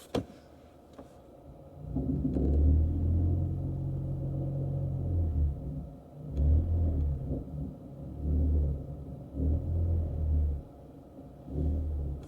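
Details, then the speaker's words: 2013 Ford Fusion, recorded from the center console while held in reverse against the brake: an intermittent deep droning vibration/rattle that is much less in forward; the engine shook more when cold; a bad motor mount is suspected but unconfirmed. "there is a vibration coming from the reverse it doesn't do do it much and forward"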